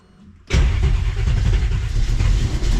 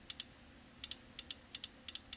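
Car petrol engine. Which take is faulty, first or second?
first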